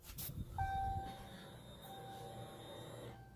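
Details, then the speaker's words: 2016 Ram 1500 short bed after fuel pump and sending unit replacement, key-on click then a clean, steady whine for about 2.5 seconds that shuts off; normal fuel pump prime. "i did hear the fuel pump prime when i first put in the key so that's i'm gonna do it again to hear the fuel pump"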